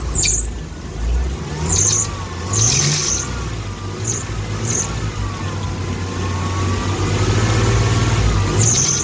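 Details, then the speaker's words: Mini truck running after water pump pulley replacement, temperature 142–143; thin, wavering squeal with chirps coming and going; owner suspects the power steering pulley, exact source unconfirmed. "but it's running besides that little squeal which i think actually i'm already going to replace anyways but i think it's the power steering bullets making that noise"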